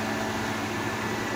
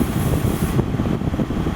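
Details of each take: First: GE Profile air conditioner street find, just powered up after plugging back in: steady whoosh of fan air with no compressor hum; fans run but compressor not running. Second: GE Profile air conditioner, a street find, fans on high in cool mode, microphone right up against it: steady even fan rush with a low hum and no rattles or squeals. Normal operation.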